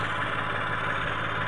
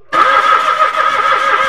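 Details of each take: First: Mitsubishi Mirage automatic, finally running after a cranking-but-won't-start problem (no fuel at pump, new spark plugs, battery negative terminal reconnected): steady, even idle hum with no knocks, misses or squeals; normal idle. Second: Mitsubishi Mirage automatic cranks steadily at about three turns a second but never catches; no fuel comes out despite a new spark plug.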